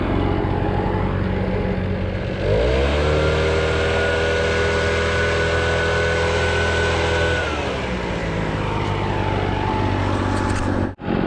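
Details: Echo PB650 two-stroke backpack blower, a barn find unused for about 2–3 years (possibly 5–7), running on fresh fuel after old gas was drained while clearing a roof; it revs to a steady high drone and drops back smoothly, running clean and strong.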